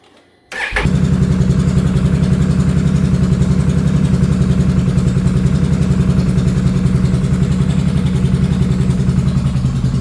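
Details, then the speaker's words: 2022 Can-Am Renegade 1000 XMR V-twin starting and idling with a lumpy, uneven pulse; the front cylinder misses intermittently because its spark plug boot, degraded by mud and moisture, arcs to the engine block. "Very common on these Can-Ams. for whatever reason, the spark plug, the boots from the mud, the moisture, the whatever, they start to let go and it's arcing through the boot to the engine block and causing that front cylinder to miss."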